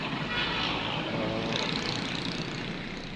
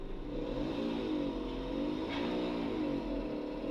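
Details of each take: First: Mira automatic after transmission replacement, heard from inside the car: even, steady hum with no knocks or clunks over a rushing background; the earlier torque converter/transmission noise is gone and it runs normally. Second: Suzuki Mira, engine running, recorded inside the car with the doors shut: loud wavering drone from the automatic transmission, not the engine, suspected to be the torque converter turbine or its plate.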